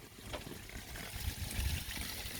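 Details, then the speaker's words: DIY bakki shower pond filter running with 75 kg of media now in place: a soft, low, even trickle with no splashing; much quieter than before the media went in. "all right here we go markers that's much quieter now now it's got the media in"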